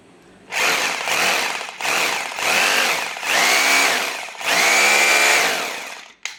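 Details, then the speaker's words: Bosch GBH 2-26 DFR rotary hammer, repaired after it would not switch on; gear set cleaned and regreased. Several strong, steady high motor whirs spin up and coast down cleanly with no grinding, working normally in all modes. "แค่นี้นะครับการซ่อมก็เสร็จแล้วนะครับตัวเครื่องก็สามารถกลับมาใช้งานได้เหมือนเดิมเลยนะครับแล้วก็สามารถใช้งานได้ทุกโหมดด้วยนะครับ"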